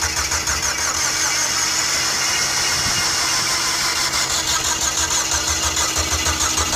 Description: The mazda familia sport 20 crank but won't start. This problem was resolved by correcting the timing . It seemed it had lost its timing.